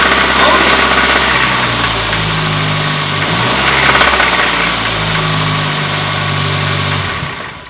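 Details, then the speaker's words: 2010 Kia Forte Koup 2.4 L, 6-speed manual, idling with a regular deep knock about four a second under the engine note; connecting rod knock, plugs to be pulled to find the cylinder with rod-bearing slop. "there's without a doubt a knock in the engine so we're gonna pull out all the spark plugs and see if we can find where there's slop in one of the rod bearings and also see which cylinder it is if it's one or multiple"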